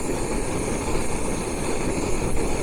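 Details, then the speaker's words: Budget camping gas stove heating sauce, wind blocked by legs, no wind at this moment; even, steady roar without the wind-caused hissing or sputter, normal steady burner roar. "Can you hear the difference when there's no wind?"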